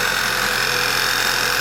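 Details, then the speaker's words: 2011 Passat running poorly, idling: steady airy suck and faint whir from low in the engine, a vacuum leak from a failed PCV valve; idle changes when disturbed. "So you can hear there's a great big suck noise coming out of somewhere. If you listen faintly, you can hear a little whir coming down the bottom there."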